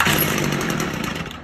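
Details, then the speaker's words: Stihl FS45 trimmer after fitting an aftermarket Amazon carburetor kit: high buzzy two-stroke catches right away on choke and runs, then eases down once the choke is taken off; normal start after the carb replacement. "If you got an old steel FS45 sitting around, throw this carb kit at it. Who knows? Might have good luck like this."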